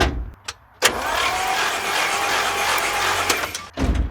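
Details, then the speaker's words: 1950 Chrysler DeSoto flathead six, 6-volt positive-ground system, spark plugs out for cleaning: starter spins the engine steadily for about three seconds between clicks, even and unlaboured; normal cranking. "spin the engine over for a little while see if anything comes"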